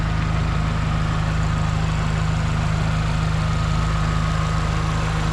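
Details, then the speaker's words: 1989 Honda Civic EF sedan, 5-speed manual, with a push-to-start button, revived with motor, suspension and brake work: low, even idle rumble with a steady beat and no misses or knocks, no smoke from the exhaust; the engine runs smooth and healthy. "But as you can see, the motor sounds smooth, no smoke out the back."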